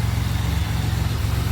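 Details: 2007 Pontiac Grand Prix GT idling after a crank-no-start fix with a swapped fuse box. Steady, even low idle, smooth unbroken rumble, no knocks or misses; running normally.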